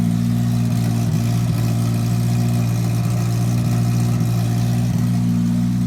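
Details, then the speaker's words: 1980 Toyota pickup rat rod, 20R four-cylinder on its first start, with an open shorty header and no muffler yet: a loud, deep, even bark that revs and settles cleanly with no knocks or misses; healthy though noisy. "très bien, elle est sur le point d'emballer le 20R sonne en bonne santé même si vous avez entendu qu'il est un peu bruyant"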